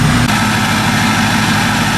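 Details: 2005 Ford F250 Lariat 6.0 Powerstroke diesel, bulletproofed, ARP head studs, new Garrett turbo, 4-inch straight pipe, EGR delete, tuned; cold start after six months winterized; deep steady clatter at idle, smooth and even, no misses or knocks; healthy.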